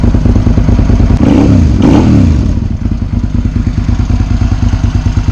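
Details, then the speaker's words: Sport bike motorcycle, about 21,500 miles: steady, smooth, loping idle at about three pulses a second, with a quick rev and clean return. Normal idle. "you can hear it runs it's just smooth smooth"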